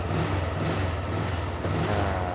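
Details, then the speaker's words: 2022 Honda Wave125i LED, under one year old, after tightening a loose front-panel mounting bolt that caused body-panel vibration: steady, even single-cylinder idle with smooth low thrum and no buzzing or rattling. "ทีนี้จับไว้แน่นนะครับนี้ก็ลองสตาร์ทดูครับไม่มีเสียงแล้วนะ"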